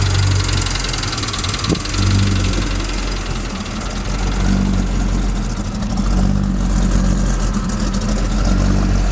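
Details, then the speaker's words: 1978 Chevy K5 Blazer, 350 crate V8 with Holley Sniper EFI still self-tuning, small 270 cam; deep choppy lope about three times a second, steady, no misfire or knock; runs flawlessly, normal lumpy cam idle. "while it is still self tuning it runs awesome flawlessly holley makes a great kit"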